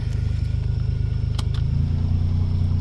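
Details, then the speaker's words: 1991 Geo Metro, rebuilt with new rings and valve job, idling quick and even around 1100 rpm, too fast; ignition timing over-advanced pending distributor swap. "That's why it idles high. I don't know if you can hear it, but it idles about 1100 RPM instead of whatever it's supposed to idle at."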